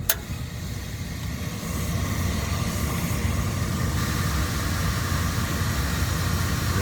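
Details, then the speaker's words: Rheem package unit (no-heat call, thrown belt), 480 V, after belt reinstalled: blower gives a steady, even low rumble that settles after a brief rise, no knock or squeal; much smoother, slight vibration from poor housing, motor about 1.9 A. "yeah that was a whole lot smoother it's vibrating a little bit but that housing is not not the best man"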